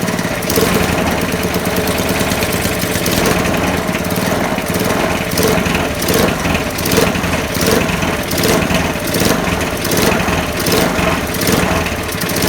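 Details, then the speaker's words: Non-running eBay spares petrol mower after reassembly, fresh oil and petrol, started on choke: steady loud drone with uneven, lumpy beat, never settling to idle; owner thinks throttle stuck on, unconfirmed; rough running. "So obviously it's running but not very well, so I'm going to tinker around with these, adjust the for some reason the throttle seems like it's stuck on."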